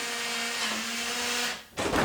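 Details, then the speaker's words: Nuki Smart Lock 2.0 auto-locking the door. A steady electric whirr lasting about a second and a half as the bolt drives home, then it stops cleanly; the lock is working normally. "bon ici moi dans mon cas je referme la serrure et la porte se referme automatiquement"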